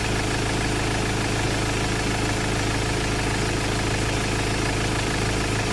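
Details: Ford Ranger XLT, previously crank no-start from an ECU fault, now running after a new, programmed computer box was fitted. The engine settles into a smooth, even idle with a steady low rumble and no knocks or misses, running as it should.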